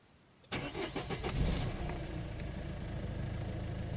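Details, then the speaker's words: Citroën C5 1.6 HDi 110 diesel at 190,000 km, after replacing both camshafts (used) over suspected tappet noise, startup: quick crank catches cleanly, settles into an even diesel idle; start-up noise and idle clicking gone, healthy cold start. "voilà plus de bruit on va passer au moteur un bruit courait de diesel hdi 110"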